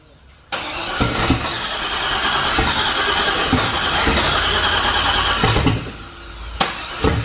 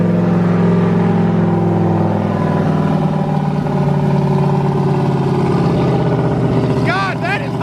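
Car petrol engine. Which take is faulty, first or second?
first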